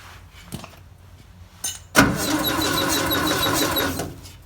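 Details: 1958 VW pressed-bumper panel bus sitting 50 years, starter just replaced: cranks at a steady rhythm for two seconds with no firing; no spark, points not closing fully and needing cleaning.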